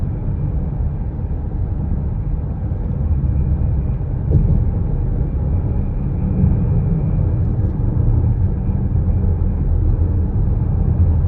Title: 2025 Brand new Chrysler Pacifica hybrid. Humming sound accelerating #chryslerpacifica #2025